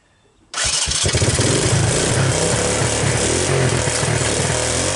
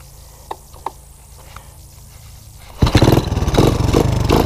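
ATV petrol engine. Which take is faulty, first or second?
first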